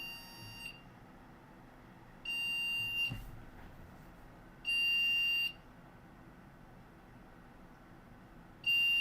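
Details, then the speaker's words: ASRock 970M Pro3 PC (AMD FX 8350, 8 GB DDR3-1600) at power-on: long, shrill beeps repeating in groups of three, memory error code, memory failed during POST; suspected bad RAM stick. "That was three beeps. Three beeps. All right, let's find out what three beeps means."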